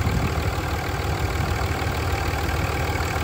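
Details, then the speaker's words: 20-year-old high-mileage 2003 Dodge Ram 2500 5.9 Cummins diesel at idle, valves never adjusted: steady, even clatter over a deep rumble, no misses or knocks, little blow-by; a very healthy engine. "a very healthy engine thank you"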